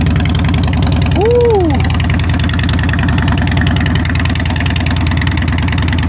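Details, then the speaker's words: 2013 Harley-Davidson Heritage Softail V-twin, salvage-auction wreck, first start in neutral: deep, loping potato-potato idle, rhythmic and steady with no ticking or knocking; healthy normal idle. "Oh, she sounds good. She sounds real good."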